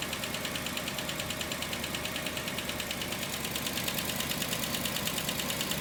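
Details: 1961 Rolls-Royce Silver Cloud II at idle after distributor work (advance cleaned, new points and condenser, timing set, points synchronized): a fairly even idle with a soft beat around three per second. The earlier rough running is much improved.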